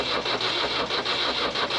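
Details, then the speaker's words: Nissan SD22 2.2L 4-cylinder diesel in an Oliver OC-3 crawler loader, cranking after trying glow plugs that may not be working: steady starter whir with compression pulses about every quarter second, black smoke but no fire; crank, no start. "it still getting black smoke but no fire"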